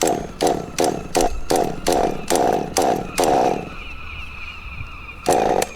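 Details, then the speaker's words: Kyosho DBX nitro buggy, tank 4 of a 5-tank break-in: 3/4 throttle in a straight line while pumping the throttle. Rising high bursts about 2.5 a second, soft burbly tone, blue exhaust. Normal rich break-in running. "Once again, you can see, because the engine is running rich, you can see the blue exhaust"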